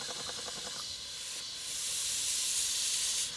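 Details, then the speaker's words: Stuart 5A steam engine (2¼ in cylinder, fitted with reversing gear, mechanical lubricator, crosshead oiler) on steam from a Castle Steam V6 boiler fired with charcoal; quick even chuffs then steady steam hiss, no knocks, running very smoothly. "as you can see in here the engine is running very smoothly"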